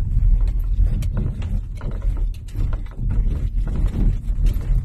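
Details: Toyota driving over road rumble, phone pressed to the sunroof: quick dry tapping from overhead that seems to shift front to rear; aged sunroof seal tapping, stops when the sunroof is opened slightly.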